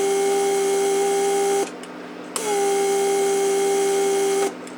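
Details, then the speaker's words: Repaired Mercedes S-class door lock (PSC) vacuum pump on the bench, tested through the headrest release circuit with a vacuum gauge. Steady mid-pitched hum cuts out, a click as it draws on vacuum storage, then an even restart; the pump works properly. "you saw it did click first so what it does is when it clicks it takes vacuum from Prussia I mean it takes vacuum from vacuum storage pump the pump does not have to run it's just a good indication that it does run properly"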